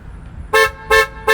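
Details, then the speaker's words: Kia Sedona with push-button start, remote start attempted after closing the hood: three short, evenly spaced horn honks and no engine start; the three-honk error code means the system is in valet mode. "we get three beeps which means it's in valet mode"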